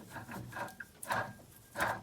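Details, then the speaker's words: 1940 Hudson with a 1970s 2.5 L Chevy engine, fan and pulley removed, water pump shaft turned by hand: three gritty, rasping, dry bursts from worn-out water pump bearings; pump to be replaced with a new one. "that sound is not good. It means the bearings on the water pump is shot."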